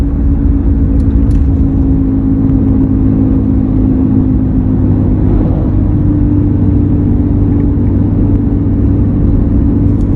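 Steady low drone holds at one pitch over the road rumble while cruising; there is a hum, but the source isn't pinned down.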